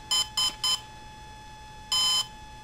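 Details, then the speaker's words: Volcano 30A ESC at power-up with the throttle stick in the middle: fast high beeps warning the throttle is not at minimum, which continue until the throttle is lowered. "you hear that fast beat okay that fast beat's not gonna go away until you lower that throttle"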